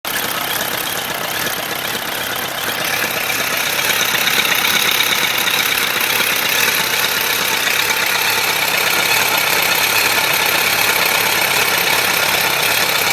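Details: 1997 Suzuki GSF1200S engine at idle: a hissy top end with a faint ticking knock about three per second underneath; source not yet identified.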